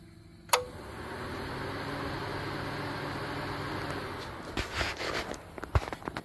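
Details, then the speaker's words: 2003 Toyota Camry, under hood at the AC compressor, clutch commanded on by a Topdon TopScan Pro bi-directional scan tool: one sharp click as the clutch pulls in, then steady fan rush builds and holds; normal engagement. "so you could you could hear that turn on and not only could you hear it turn on but the fans turned on"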